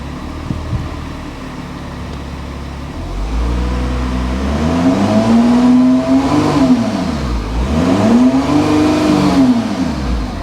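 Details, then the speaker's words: VW Touareg bought half-repaired, just refilled with coolant, put in gear: engine revs climb and fall twice, needing about 3,000 rpm before it pulls away; automatic gearbox slipping, owner suspects low gearbox oil; it later misfires and drops into limp mode. "Let's try it now. Very lazy to move unless it's just low on oil in the gearbox."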